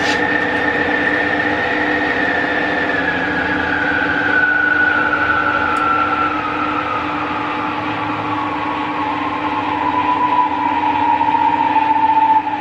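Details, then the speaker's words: 1977 Schaublin 13 milling machine spindle in the low range, being run down from 375 toward 58 RPM: a quiet, smooth gear hum whose pitch slides steadily lower as it slows, with no knocks or grinding; it sounds healthy. "I'll run it down to the bottom, then I'll switch over to the high range and run it right the way up through, so you can hear it all running."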